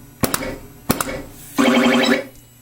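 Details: Atari Space Riders pinball: a working pop bumper on the same machine gives two sharp solenoid thwacks about half a second apart, then scoring chimes, showing normal firing while the other bumper is dead.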